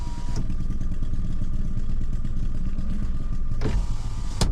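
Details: Maruti S-Presso VXI Plus while driving: a continuous steady thin whine over the engine drone at cruise; the owner suspects the belt, unconfirmed.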